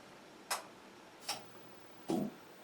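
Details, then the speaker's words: Sony KV-27FS120 27-inch Trinitron CRT TV powering on after cleaning connectors: three sharp clicks about three-quarters of a second apart, the last heavier with a brief hum; normal power-on relay clicks. "clicking noises sounds good so far"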